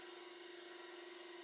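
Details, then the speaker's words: VW Golf 2 GTI with Digifant injection, electric fuel pump switched on again after the rail had been empty; steady even hum, no stutter, no leak seen; pump running normally. "Je vais la rallumer. Là, on entend bien la pompe qui tourne."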